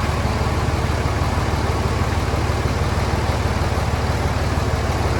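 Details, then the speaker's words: Cummins diesel after setting valve lash to cure ticking valve train noise: steady, even idle with soft regular clatter and no sharp ticking; valve train quieted down. "all right well I'm not sure how well the camera picked it up I guess I should have taken a video before time to show the noise but I would definitely say it's quieted down quite a bit"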